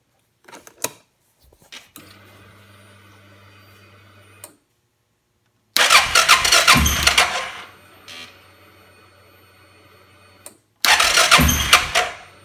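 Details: 2005 Suzuki King Quad 700 ATV with Copperhead VDI aftermarket ECU, starting problems since install: two short starter bursts, never fires; crank no start. Owner blames ECU; maker blames faulty charging system, battery dropping to 8V.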